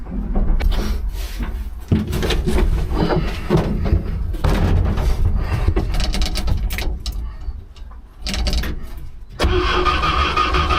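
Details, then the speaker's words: Old "800" truck, just revived after distributor retiming, put in gear and moving with oil pressure and amps showing on the gauges: low engine rumble rising and falling as it pulls away under light load. Normal running. ">> Okay. So, she moves. Another good sign."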